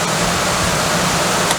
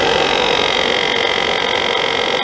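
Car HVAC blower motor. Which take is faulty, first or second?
second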